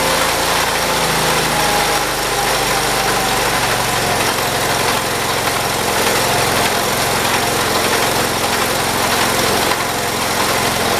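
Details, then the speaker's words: 1978 John Deere 208 lawn tractor after a head gasket replacement and carb adjustment; the small engine runs steady and even with a brief throttle-up and no stumbles, running properly. "there we go i'd say we got it now the big question does it have more power let's find out"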